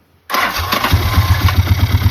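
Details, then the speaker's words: 2002 Bombardier Quest 650 after new pulse pump (old diaphragm defective), petcock and carburetor: catches instantly and settles into an even, steady idle without stumbling or popping; earlier rough running and poor idle fixed. "And squeezed that line, and miraculously the motor started running smooth, and that was the problem."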